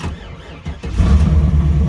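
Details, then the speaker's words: 1994 Camaro Z28 after a VATS bypass: key left on until the security light went out (between five and ten minutes), then turned off before starting. Brief crank, engine catches within a second and settles into a deep steady rumble; clean start. "and then you turn the key all the way to the off position and then it should be able to start after that that's what I found anyway"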